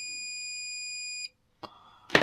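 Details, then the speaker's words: 2006 Subaru Impreza STI/WRX radiator fan relay, bench-tested while tracing overheating: with coil powered, multimeter on audible ohms across switched terminals gives a steady high beep for just over a second; continuity, contacts closed. "So if we put them on there, we grab our multimeter, and we've got an audible tone with a closed signal."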